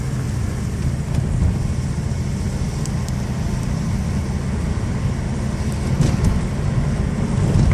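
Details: 1993 Toyota Camry XLE V6 driving with an engine misfire: a lumpy, stumbling drone under road noise. Cylinder 3 was dead from a bad fuel injector, the other five injectors were dirty and the plug wires were bad; low idle and low power.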